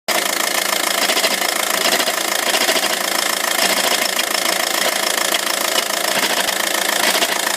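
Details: A 2006 VW 1.9 TDI with a DSG automatic idles steadily while a busy metallic rattle chatters evenly over it, about three beats a second. The dual mass flywheel is worn out and needs replacing.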